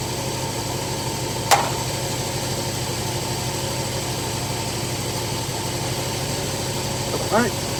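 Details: Carbureted engine idling after carburetor, distributor and timing adjustment: an even, steady idle with a smooth low hum and a couple of stray clicks; a loose muffler rattle is suspected; engine idling properly.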